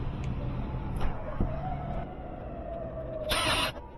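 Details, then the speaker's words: Home AC system that was not cooling, after a faulty new breaker was replaced and voltage confirmed: a couple of clicks, then a steady low even hum comes on and holds. Normal start-up; it later showed about an 18° supply/return temperature difference. "And there you go. You do hear it coming on. So, we should be good to go there."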